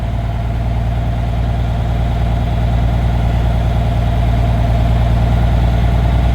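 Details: Truck diesel after re-piping the differential lock air line, idling in neutral while primary and secondary tanks build toward 120 psi before the air dryer blows off: even, steady idle without misses or knocks; engine sounds healthy.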